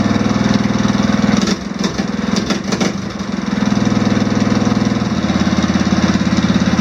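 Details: Swapped OHV engine on off-road mower, valve lash (found way out) just adjusted into spec, started without choke: even quick putter at idle, brief dip that recovers, no top-end ticking unlike old flathead; runs smooth and quiet.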